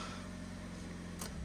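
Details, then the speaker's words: Ford Ka Tattoo Limited Edition salvage car after starter motor and alternator replacement and fresh engine oil, belt not yet refitted: steady, even low hum with no knocks, rattles or squeals; healthy idle, sounds much better. "That sounds so much better."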